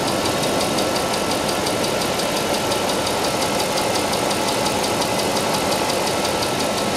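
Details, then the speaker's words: Mercedes SL 500 R129 V8, about 85,000–90,000 km, ex-Japan; steady idle with faint regular fast ticking from the left cylinder bank after reassembly, suspected noisy hydraulic lifter, still present. "jetzt hört mal endlich mal das Ticken auf der linken Zylinderbank kommen wir starten"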